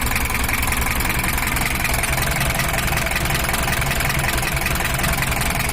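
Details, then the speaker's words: Toyota HiAce diesel after service for overheating and unstable engine sound; idle raised because of a weak injection pump plunger, and a larger cooling fan fitted. Steady, even idle with a smooth low rumble and no knocks. Sounds healthy. "Ini udah suaranya udah normal dan udah siap kerja untuk kipasnya udah kita ganti besar biar pendinginannya lebih maksimal"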